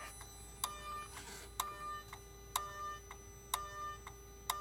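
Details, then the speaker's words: 2008 Mercedes R320 3.0L diesel, intermittent power loss, check engine light, boost pressure regulator/charge pressure too high codes: actuator commanded via scan tool gives sharp regular clicks about once a second over faint hum; turbo actuator sticking, bad. "so this actuary is sticking guys it shouldn't be making this noise yeah this is the problem"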